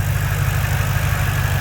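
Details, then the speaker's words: Ford 4.6 3V V8 after a heads and timing set job, now stock with a MagnaFlow catback: steady, even idle rumble with light ticking from the injectors, no valvetrain noise; runs smooth, normal idle. "no valve train noise. That is the injectors that you're hearing. So it's running super smooth."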